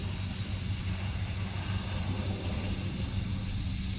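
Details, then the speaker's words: Fiat 500e A/C line being opened after the system was evacuated: a steady hiss, probably air rushing in or leftover gas, with green dye dripping, then it stops; hissing from an opened A/C line. "so leave this until it stops hissing I guess he didn't get all of it"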